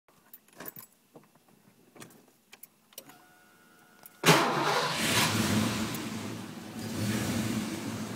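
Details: Ford Mustang 5.0 V8 with bad idle, boggy acceleration, poor throttle response and stalling; IAC, alternator, battery, vacuum lines and fuel pressure regulator checked good: after key rattle it fires into an uneven, loping idle; rough idle, cause unknown.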